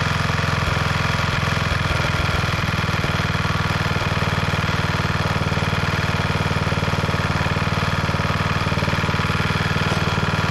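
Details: 1991 MTD 12/38 riding mower under restoration: fires right up, then settles into a steady, even single-cylinder thump about two beats a second; normal start and idle.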